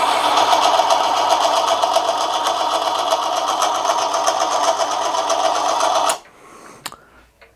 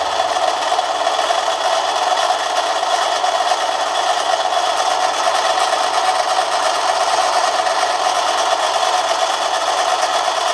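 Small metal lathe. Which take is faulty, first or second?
first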